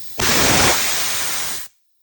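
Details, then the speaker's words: Air compressor tank being vented by pulling the release valve, with the unit unplugged, before replacing a leaking quick-connect coupler: a loud, sharp hiss of escaping air for about a second and a half, then silence; tank air release. "And then over here, you pull this and it'll let out all of the air. It is kind of loud."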